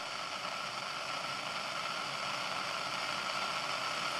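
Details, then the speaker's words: CB radio, squelch off, full volume, AM mode, antenna disconnected, checking receiver self-noise. Even steady hiss with no crackle or whine. The owner blamed it for excessive noise, but it sounds like a normal, average radio. "tak szumi ten radiotelefon a przy odłączonej antenie właściciel napisał że szum opon nie radyjko ja bym powiedział normalne przeciętne radio"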